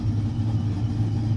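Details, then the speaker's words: Frostbite Ram with supercharger, new Doctor Differential boost (Enforcer) cam and tune, first startup after sitting: deep, steady, even idle rumble with no knocks or ticks; running pretty good. "first start on tune it's running pretty good"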